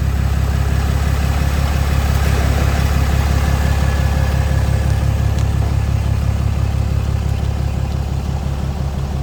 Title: popping noise ram 2500